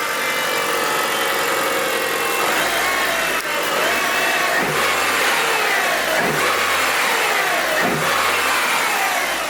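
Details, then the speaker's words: Mitsubishi Evo 9 MR turbo four just after Injen intake install and oil change: smooth steady idle with a few clean, even rev blips, no knocks or rattles, intake still quiet; healthy. "Still pretty quiet. think you have to really give it the beans to get that induction noise."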